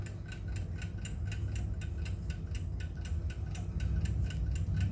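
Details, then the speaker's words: 1905 Waterbury spasmodic alarm clock after repair of friction and a lopsided balance wheel not engaging the pallet fork: crisp even ticks about four a second over low hum; running healthily. "so at the moment this clock here is running well fantastic as you can hear it's ticking away"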